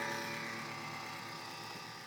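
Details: MSI CX623 laptop: loud steady buzzing whir with several fixed tones, shaver-like, easing slightly; suspected noisy cooling fan, unconfirmed.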